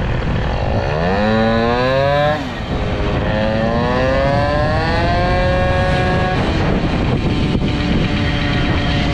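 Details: Air-cooled 103 Hybride moped with Airsal 65 kit, short belt and stiffer variator spring, carburetion richened, at full throttle: crisp two-stroke wail climbing cleanly through the revs without blubbering; now runs right, pulls well, though starting could be better.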